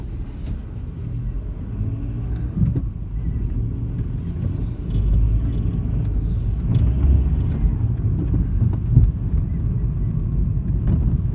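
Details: VW Golf Mk5 driving: irregular light clatters and knocks over road rumble; badly worn gearbox-side engine mount diagnosed, replacement reduced but did not end the rattle; heat shields and exhaust mounts checked, driveshaft noise suspected when turning right around 20 mph.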